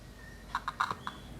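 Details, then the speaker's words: A loudspeaker of about 8 ohms tested with an analog multimeter's ohmmeter: five or six crisp clicks from the speaker as the probes touch, with the reading between 5 and 10 ohms. The speaker is good. "Selain dia menunjukkan angka, loudspeaker juga membuat getaran atau terdengar suara ya. Ini berarti masih bagus."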